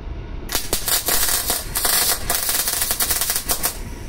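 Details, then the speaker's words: Vevor MIG-250 welder with 0.8 mm wire, wire feed turned down while trying for spray transfer, gives an uneven, crackling, popping arc of globular transfer instead of a smooth hiss. "now we are close to ball or BB transfer I don't know the English term for this"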